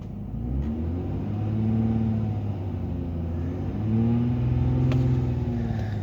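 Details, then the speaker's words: Rusty 2003 Ford Taurus SEL with holes in the catalytic converter and fuel tank and an idle air control overspeed error, revved after the idle settles: deep, loud rumble swelling with the revs, louder than a sound exhaust should be. "so that means there's a lot of it's a lot of rust and when you drive when you drive this car it runs it's it's not it's not quiet"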